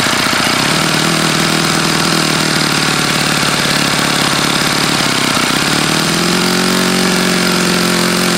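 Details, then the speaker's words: OS FS-48 Surpass model four-stroke, still warm, running after a crankcase repair on a Xoar 12x6 prop, S&W 5% fuel and an OS F plug, high-speed needle tweaked. Buzzy high revs with a gritty rattle; bad bearings, yet it runs pretty well. "it clearly has bad bearings but it does run and it runs pretty well"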